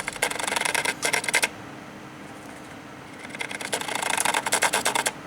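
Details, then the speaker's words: Computer water-cooling pump that suddenly started making an awful noise: irregular bursts of dry rattling, about three a second, with quiet gaps, vibrating heavily; pump failing and not moving coolant, later replaced. "I can feel it here it's rattling and vibrating like crazy here and it doesn't appear to be pumping any water"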